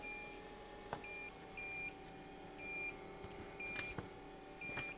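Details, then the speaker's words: Diesel heater installed in a shed, fed from a 5-gallon tank, first start: repeating short high beeps about once a second over a low fan hum; out-of-fuel error because the line was not primed (priming mode skipped). "Right now, we have an air conditioner. So, right now it is beeping an air message that says out of diesel."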